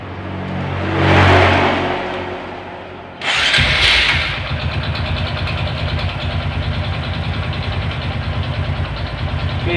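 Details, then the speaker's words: Honda Supra 125 with hard gear shifting, slipping clutch and weak, rough running: after start-up, a rapid metallic klak-klak knocking rides on an uneven idle, like a worn connecting rod (stang), with slight whine; connecting rod knock. "Oke seperti ini kira-kira suaranya Suara klak klak klak klak ngelitik seperti suara stang"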